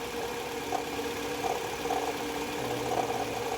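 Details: Idling car engine with a steady whirring hum and faint rough growl, suspected to be a worn alternator bearing; cause not confirmed.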